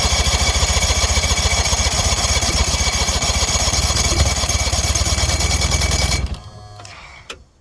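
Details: 1977 Evinrude 35 hp outboard that won't start: fast, even cranking chatter for about six seconds, then it stops dead without ever firing or picking up speed; cranks but won't start.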